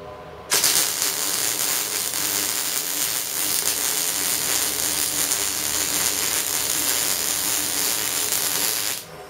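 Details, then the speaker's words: MIG welding shown as it should sound, in a torch liner replacement walkthrough where a jammed liner had caused poor feeding: steady, even crackling sizzle for about eight seconds with no pops or stutters; normal, healthy arc. "so anyway long story short guys i figured out it was my mig torch liner mig welding should be fun and easy guys like this"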